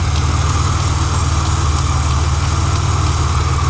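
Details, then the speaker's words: Supercharged engine at idle: a quick, light tap about four times a second riding on a steady rumble, seeming to come from around the blower drive. Owner suspects the belt; unconfirmed. "ones making noise over here pumpkins something's tapping oh it might be the belt yeah it might just be the belt"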